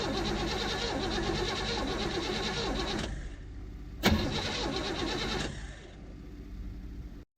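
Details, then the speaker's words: 1972 Chevrolet C10 Cheyenne V8 shop truck after replacing the starter and ignition switch and finding a loose battery post: strong, even cranking in bursts that never catch; cranks well but no start, cause suspected, not confirmed. "all right so she is spinning over healthier now we do not have to uh we don't have to make any adjustments on the starter it sounds good"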